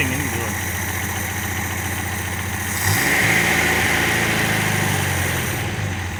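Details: Engine just run after head gasket, reconditioned head, water pump and hoses replaced, to be run to temperature before oil flush: idles evenly, picks up smoothly on a blip and settles back, no knocks; normal running.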